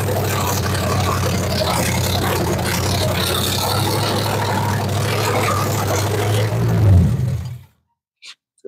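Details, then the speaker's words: Rat rod 327 small-block Chevy V8 after engine swap, 50 psi oil pressure while cranking: fast idle with uneven loping beat, about four stumbles a second; sounds like a misfire, firing order suspected, unconfirmed. "yeah almost sounds like it's got a miss or something going on I I thought so too it runs sounds decent I don't hear any like stupid noises"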